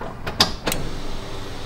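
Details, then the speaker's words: Square body Ram no-start, wiring repaired with power restored to PCM: sharp relay clicks at key-on, then faint steady hum as the fuel pump primes; circuit now working. "So you heard it work, but you also probably heard the fuel pump kick on."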